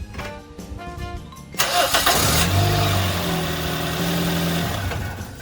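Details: Toyota Yaris engine after the serpentine belt was tensioned by prying the alternator forward, no belt change: it cranks, catches and settles into a steady idle with no belt squeal, over background music.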